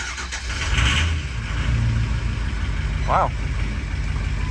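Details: Ford 6.0 Powerstroke diesel hard start with the glow plugs apparently not working: a brief crank on starting fluid, then it catches roughly and settles to idle. Weak injectors are suspected; not confirmed.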